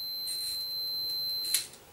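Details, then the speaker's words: Mechanical cooker timer, multimeter on continuity with timer turned to the on position: steady high-pitched meter tone for over a second then cutting off, showing the timer contacts closed and conducting. "Okay so we've Now set it to continuity if I turn it to the on position it now allows electricity to go through to the"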